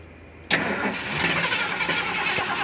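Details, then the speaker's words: 1977 Ford Camper Special that had sat for a few years, cold start with pedal pumping: it cranks and catches roughly with an uneven, hissy stumble instead of settling into a clean idle. Hard cold start; old, nasty gas is suspected. "all right so well we may not have a fuel issue I think it's just some old nasty gas in there"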